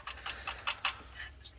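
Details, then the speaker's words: 2004 Ford F-150 4.6L V8, no codes: sharp, even ticks about five a second from the timing area, loudest on passenger side; broken timing chain guide letting chain slap. "Couldn't believe that there's a lot of ticky noise coming from the timing, because like I said, I usually do the rocker arm, they always go bad, especially the passenger side."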